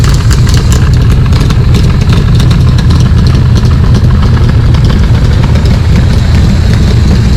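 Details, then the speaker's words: Cobra V8 with Holley Sniper, Isky cams, ARF cylinder heads and a fresh tune, just over 100 miles, idling in the driveway: deep, loud, even rumble with no misses, knocks or ticks. Normal idle. "I'm going to roll it out in the driveway so you can listen to it run, and you'll notice there's no wheel chocks under the car because the parking brake finally works."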